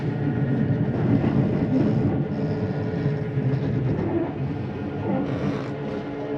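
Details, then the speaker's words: Jayco Jay Flight SLX 32BHDS travel trailer, bunk-area slide-out retracting. Steady low motor whir with gear rumble as the slide comes in quickly and evenly, then stops: normal operation. "we'll turn on this light to help us here and we're just to hit in see in slides come in rather quickly"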